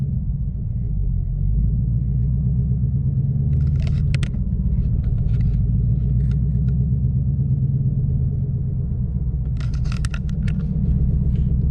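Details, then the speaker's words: 2014 Mustang GT after Boss 302 intake manifold install and SCT tune (93 tune): deep uneven rumble with irregular loping beat, feels lopey revving up; cause unknown; rough lopey idle. "so you guys i don't know if you can hear that early you won't be able to feel it but it feels really lopey revving up"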